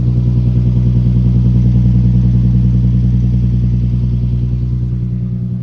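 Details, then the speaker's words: Newly bought hybrid, previous owner took good care, fresh initial cold startup: steady, even low idle with smooth pulse, no knocks, ticks or whine; normal cold start idle. "So, here's a fresh initial startup. What it sounds like."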